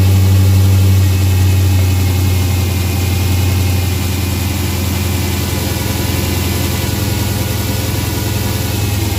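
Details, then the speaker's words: Dodge Hellcat supercharged V8 idling with stock air filter before K&N drop-in swap: deep, even burble with only faint supercharger whine. "okay so that's what the stock air filter sounds pretty good sounds pretty beefy but not a really really super large supercharger whine"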